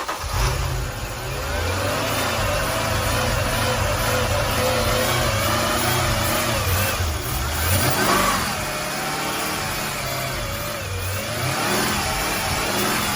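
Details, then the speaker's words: 2008 Mercedes CLS 550 held at raised rpm right after new spark plugs: smooth, even running with no misfire stumble or knock. Normal revving. "That sounds healthy. It's all good. We all good."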